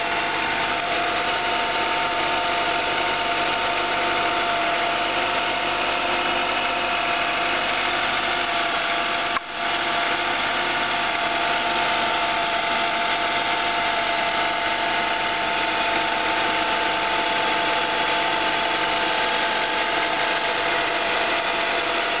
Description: im Having a Stranging high pitched noise comming from the motor, and maybe you guys can assist me on doing so